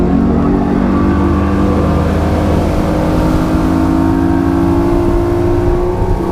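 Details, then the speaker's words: 1999 Johnson 200 HP outboard (J200PLEEB) pulling away under power after restart, following replacement of the SystemCheck fuel-flow vacuum switch that caused false check-engine alarms; strong, steady drone with gently rising pitch, no stumbles or alarm; owner thinks it's fixed. "we're going to crank it up goes through his checks cranks right up and head on back"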